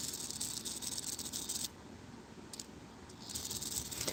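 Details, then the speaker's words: Clock movement before oiling: light, uneven metallic rattling tick several times a second in a quiet room, a dry pivot making noise; a drop of oil there made it sound much better. "Biggest thing is fix this noise."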